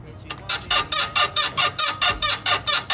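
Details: BMW E53 X5 rear suspension, vehicle rocked by hand in 34 °C heat: sharp rubbery squeak with each push, about two per second, traced to the worn right rear upper control arm (swing arm) bushing.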